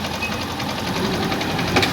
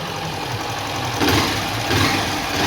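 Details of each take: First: Honda CG Start 160 burning and losing oil, no visible smoke: fast even metallic knocking over the revving engine that follows the throttle, sounds like a con rod but is the piston skirt slapping; cylinder, piston and rings to be replaced. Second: Honda Start 160 single-cylinder after repair of a connecting-rod-like knock (oil burning suspected): idles steadily with a light, quick valve tick, no deep knock, music in background; healthy.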